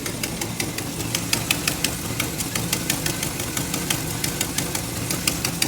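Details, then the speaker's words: 1963 Chevrolet Impala at idle, listening on the side owner knows has an exhaust leak: sharp, fast ticking about three per second over a steady idle; exhaust leak puffing tick. "so when I do it on this side I know it's got an exhaust leak on this side I know that I know that to be a fact"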